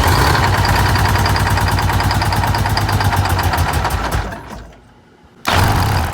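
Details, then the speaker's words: 1985 Bluebird Wanderlodge PT40 diesel cranked with the stop on while priming: about four even beats a second with no firing, a pause, then a short second crank. Fuel starvation; the primary filter was nearly empty and was then filled with diesel. "so we just pulled the primary filter and filled it with diesel fuel it was low it was down to the bottom almost so that's definitely another issue"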